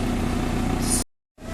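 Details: Audi A6 2.0 TDI diesel idling after replacing the intake manifold flap motor (throttle body valve), no engine management light: steady even clatter with no misses; the recording briefly cuts out. Running healthy.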